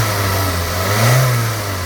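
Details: 2002 Toyota Corolla 1.8, earlier P0300 random misfire and power loss; after spark plugs and four coils replaced, light revving in parking lot: picks up cleanly, settles evenly, no miss; normal revving.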